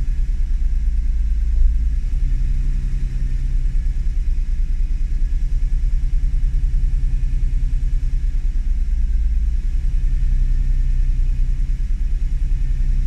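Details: Honda NSX: deep, slightly unsteady idle rumble with small surges every few seconds over a low background; idle fault, cause unclear.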